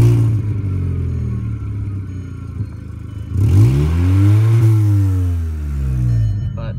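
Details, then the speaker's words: 2004 Volkswagen Golf, engine running, heard with the door open: deep drone with an uneven puffing pulse that swells as revs climb; exhaust leak, to be fixed before sale. "put the door open you can hear that exhaust leak a little bit more audibly"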